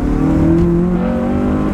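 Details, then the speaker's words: Honda Civic Type R FN2 (K20) after budget induction kit install, test drive about a mile: deep throaty intake roar rising and falling smoothly with revs, louder than previous cone, no misfire; owner suspects possible air leaks. "Oh, that does sound a lot more beefy than before. Alright, so we've done about a mile in the car. I'm just trying to find somewhere. Listen to this. That induction noise is a hell of a lot louder."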